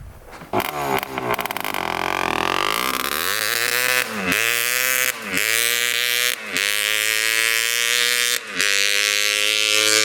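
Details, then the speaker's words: 1986 Honda TRX250R two-stroke quad after unclogging the exhaust pipe: crisp revs climbing high to full rev-out with snappy returns, far quicker and peppier than before; normal running. "It sounds so much better now. It revs out completely. Goes a lot faster, a lot quicker, a lot more peppy. That's how it should be running."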